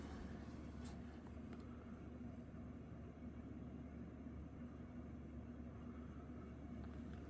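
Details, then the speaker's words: Mid-to-late-1980s Saff Enterprise Flush Polo 52-inch antique brass ceiling fan on high speed: steady low motor hum with a dry, rough rustle of worn bearings audible over it. "high speed you can definitely hear the bearings over the motor home"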